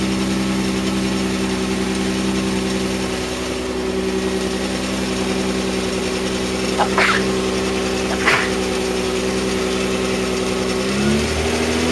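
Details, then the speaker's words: Mazda MX-3 with 1.8 V6 K8, idling with air filter missing: light uneven clatter and sharp clacks from front of car, louder as it warms and with subwoofer bass; part recently replaced suspecting a bearing, didn't fix it; source unclear. "u hear the noise that noise is kind of like a clacking R Ling down um once out I'll leave it for a minute we going to get warm it gets louder as it gets warmer"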